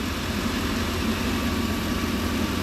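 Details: 2002 Ford E-Series van with what is thought to be a 5.4 modular V8 and check engine codes P1132 and P1152: steady, even idle with a smooth low hum after the PCV was disconnected and plugged off; the earlier buzzy noise is gone, PCV valve suspected.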